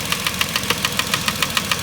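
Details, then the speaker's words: 2010 Vauxhall Corsa, 1.0 Ecoflex three-cylinder replacement engine, at idle: sharp light tapping about seven times a second that sounds like big- or little-end knock. It is actually the worn, ECU vacuum-controlled intake manifold swirl flaps rattling. "but these swirl flaps are rattling they are rattling like how can I even put it"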